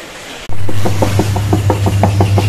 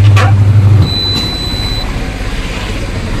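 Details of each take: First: Whirlpool top-load washing machine with excessive noise and water leaking; deep steady hum with a rhythmic knock about six times a second, pointing to a worn tub bearing; repair begins by removing the pulsator. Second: Whirlpool top-load washer after a pulsator repair fixing banging and bearing noise and a leak, washing with no load: a low, steady hum as the drum turns evenly with no rattle or grinding. It now sounds healthy.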